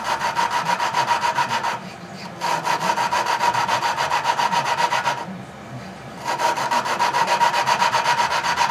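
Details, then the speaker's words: Tecumseh engine valve job: valve hand-lapped with compound using a suction-cup tool, gritty back-and-forth rasping, three to four strokes a second with short pauses; tone changes as grinding lessens, restarting each time the valve is lifted and reseated. "so maybe you can hear the tone change and it after I pick it up it gets it sounds like it's grinding less pick it up put it back down it starts over"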